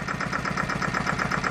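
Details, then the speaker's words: Farymann A40 single-cylinder engine on test bench, first start after overhaul: crisp even beat about eight firings a second, steady with no misses or knocks, no smoke; healthy smooth idle. "listen to that baby run eh isn't that sweet the thing of beauty just like all good Fairman should be idles nicely no smoke"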